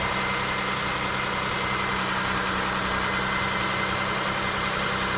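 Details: Mitsubishi Outlander XL 6B31, first start after replacing hydraulic lifters that had knocked briefly on cold start: even, steady idle with no lifter tick under the music overlay; normal idle.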